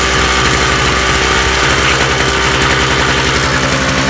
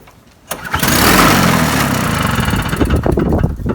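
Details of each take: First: Toro two-stroke snowblower after carburetor main jet cleaning and new spark plug, warm after running five minutes, choke off: catches and runs at a steady, even buzz, then winds down smoothly; running normally. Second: Toro snowblower, Briggs & Stratton two-stroke, unused nine months, fresh 50:1 fuel, Sea Foam in carburetor, primer bulb off; catches with a sudden burst then runs ragged, uneven and sputtering.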